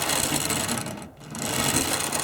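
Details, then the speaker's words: Old Tri-ang TransContinental Pacific model loco, front bogie missing: busy irregular clatter and gear chatter with uneven knocks and a brief dropout, jolting so much it dislodges itself from the track; cause not confirmed. "absolutely not right you could use that thing as a track cleaner if you wanted to but uh well see it's jolting so much it's dislodging itself from the track"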